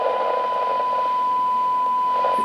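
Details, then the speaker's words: Alinco DR-570 radio with dead VHF receiver, signal generator injected at C16 at -70 dBm: clean, steady test tone over faint hiss; stage after Q1 works, fault lies around Q1. "now I'm touching the c16 and you definitely can hear it I have a clean signal with - 70 DBM"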